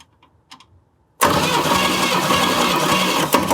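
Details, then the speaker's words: 1968 Chevy Camaro engine, daily driven since 1990, cranking during a compression test, about 150 psi in every cylinder (one 165): steady even cranking about three and a half beats per second, no dips; normal cranking. "yes wow 150 lbs in every hole this thing's Stout I don't even know what to do I expected much worse"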